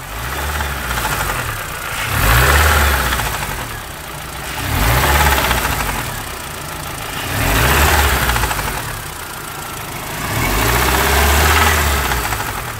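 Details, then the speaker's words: Mini One R50 1.6 16v 90hp, engine revved in bursts: a metallic clatter builds with revs. The timing chain is slack from the hydraulic tensioner and believed to have jumped; the camshaft sensor fault code was logged. "bon allez voilà et au final ça serait la chaîne qui s'est décalé"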